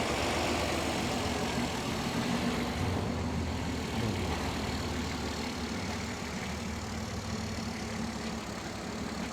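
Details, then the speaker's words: 1967 Mustang with Holley Sniper 1100 EFI during professional tuning, after the tuner removed the owner's by-ear idle adjustment and set a base idle: even, steady idle with a soft regular beat and no misses; runs much smoother. "Well, that just seemed to make her run a lot smoother, just that little tweak."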